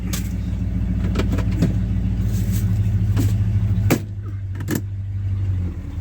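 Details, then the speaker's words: 1968 Ford XL V8 after exhaust manifold repair, manifold refitted and re-torqued to cure an exhaust leak, with welded H-pipe dual exhaust, checked under the hood: deep, steady burble with even beat and no ticking or puffing leaks; running smooth and healthy. "oh that's beautiful no leaks at all there's a tiny little underneath because when I welded the the H and it had just true dual that's okay um man I can't believe how good it sounds"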